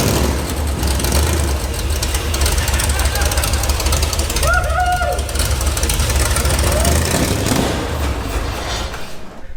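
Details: Two-wheel-drive build with block hugger headers, started after a missing chassis ground for the fuel pump was added: engine catches and settles into a steady, slightly uneven low rumble with some shake; runs fine.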